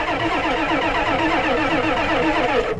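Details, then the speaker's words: Ford 7.3 IDI diesel: steady, sluggish cranking chatter that never catches. Unclear whether the worn starter or the battery is giving up. Slow cranking. "that starter has just seen such a her life let's just see here let's just a little more cranking is that the starter giv up or is that the battery"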